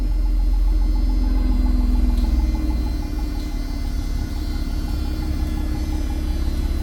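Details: 2020 Toyota Avalon TRD after spark plug change, heard from the rear of the car: catches with brief louder flare, then steady even idle, no misses or ticks; normal idle.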